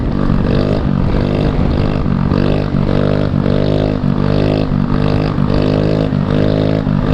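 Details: Honda Elite two-stroke scooter at high speed: steady turbo-like whine droning over the engine; source unclear, rider suspects the new, larger fan.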